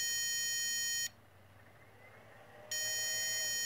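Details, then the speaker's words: Inverter powered by a D-cell Maxwell Boostcap supercapacitor pack discharging at about 0.1 A, voltage dropping toward 10 V: long shrill beeps about 1.5 s apart, the low input voltage warning before shutdown. "this point one amp you should hear the inverter beeping due to the low voltage and I'm gonna keep it going until it shuts up there you go that's the warning"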